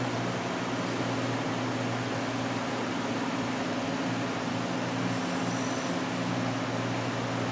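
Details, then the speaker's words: 2003 Apple Power Mac G5 during Mac OS reinstall: constant loud fan rush with a steady low drone, traced to the power supply; coil whine also noted earlier, cause not confirmed. "that noise is coming from the power supply"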